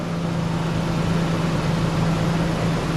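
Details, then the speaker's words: Toyota Tacoma after replacing a cracked flexplate idles with a steady, low, even hum; the earlier ticking is gone: normal idle after repair. "Ladies and gentlemen, we have quiet. No laughs. That is a beautiful sound. Nothing."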